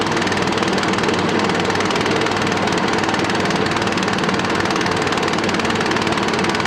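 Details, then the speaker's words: Billy Goat machine with Honda GX240 8 hp single, petrol tank had split, running after cold start: loud busy chatter at steady speed with uneven beat; rough running, stuck carburettor float suspected. "maybe L that starts to write to me but the the carb is pulling out picture alike and the float must be stuck so Wow"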